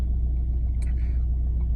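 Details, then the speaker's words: 2009 Ford Mondeo Mk4 2.0 TDCi diesel, cold start and idle: low steady idle rumble with an uneven shudder that doesn't go away when warming and vanishes when revved; strong vibration from the dual-mass flywheel. "Ford Mondeo 2009 року мій це моє авто 2.0 тдці двигун є така проблемка появилась вібрація на холостих обертах зараз дивіться запускаємо машинка холодна при прогріві не пропадаться"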